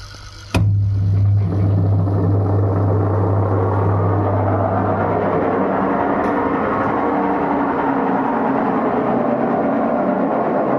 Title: #Whirlpool washing Machine garebox problem #mecanijam problem #bearing sound # noise problem